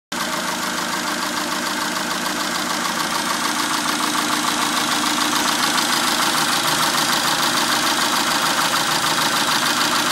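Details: 2002 Dodge Neon petrol engine idling steadily with a light, regular ticking of about three ticks a second; owner unsure whether valves, exhaust or worse.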